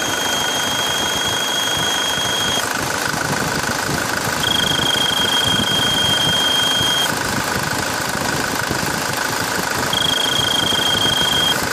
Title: Свист турбины